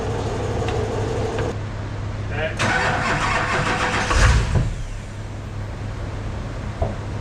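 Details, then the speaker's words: Airport limo project on first start after work where lift pump was rewired: cranks, catches a second or two with rough burst, then cuts out; owner suspects anti-theft. "Sounds like it's starting, right? And then it's immediately shutting it off. Yeah. To me, that sounds like anti-theft."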